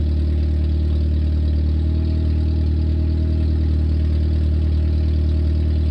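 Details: 1994 Nissan Sentra four-cylinder idling with the exhaust removed, which was taken off to fix a leak at the heat shield or catalytic converter area. The straight-pipe sound is a loud, raw, deep, unmuffled, fast burble.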